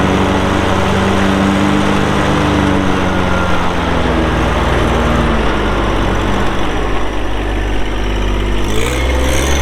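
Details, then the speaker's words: 2012 John Deere 1023E 4WD hydro compact diesel tractor, 370 hours, hood shut; steady low diesel clatter settling into an even idle, no knocks or misses; normal idle. "We'll get that hood shut, we'll fire it up and get right into an operational video."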